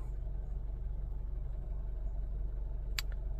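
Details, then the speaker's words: 2007 Honda Civic after repair for cylinder 2 misfire (P0302) and P0420 codes, engine light out on restart: quiet, smooth low idle rumble, no stumbles or misses, running normally. "the good news is my engine lights out let turn the car off pull the key put it back in starting up smoothly engine light is out perfect perfect"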